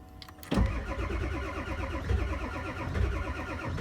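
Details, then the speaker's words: Ford 7.3 diesel cold start at 0°C (32°F). Starter chugs the engine over steadily for several seconds without firing while oil pressure builds and glow plugs heat. Extended cranking on cold start. "okay I don't like cranking that long one more time it'll fire up now it's got oil pressure and we got some hot glow plugs now it's gonna fire right now"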